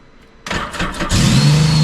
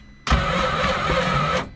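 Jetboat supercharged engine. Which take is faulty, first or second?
second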